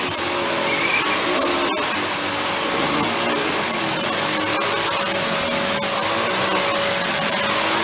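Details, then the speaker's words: Panasonic MC-UG302 upright vacuum whose brushroll had seized: a steady, harsh whirring drone with rasping tone over the motor hum; brushroll freed but still has a tight spot. "do you hear that horrible noise that horrible noise is the brushroll"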